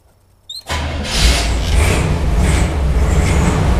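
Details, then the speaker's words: Jeep CJ-7 with a Ford Motorcraft carburetor, started after sitting about a week. Brief crank, then it catches at once and settles into a steady, even idle with no stumble. Healthy cold start. "the snow and ice is melted outside so we're gonna see if this thing will still fire up"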